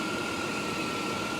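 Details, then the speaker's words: 1998 Chrysler Concorde at idle, rodents have nested in the engine bay: steady, even idle with a light hiss and faint whir, no knocks or misfires; the engine runs great. "we've had some big old rodents move in and this engine sounds great Gary has proved me wrong"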